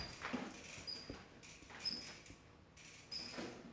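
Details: Bicycle rear suspension with sharp, high, mouse-like chirps about once a second on each suspension stroke; greasing the linkage was suggested, but the squeak's source remains unfound.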